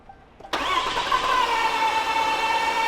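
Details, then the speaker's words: 6.7L Cummins no-start: starter spins fast and light with an even whir, a clack at first, no firing, turning over too freely as if no compression; no cooling-system pressure, blown head gasket or sheared cam gear considered. "It did like that a clack at first, like like it was pushing a rod out of the"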